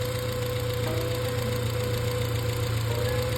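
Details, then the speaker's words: 1987 Dodge Ram 50 idling after an exhaust leak at the old air injection pipe was sealed by putting a quarter in the pipe end; the idle is steady and even, with no ticking or puffing from a leak. "Nope, absolutely nothing."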